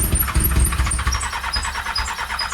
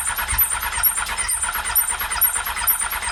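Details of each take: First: Triumph Daytona 600 that sat for years with water in the engine, cranked via a jumped solenoid on starting fluid: irregular low coughs and pops that never catch into an idle. It fires but won't run. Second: Triumph Daytona 600, sat for years with water in the engine, started by jumping the solenoid: about five seconds of steady, even cranking with no firing. The starter works fine, but the engine is not firing.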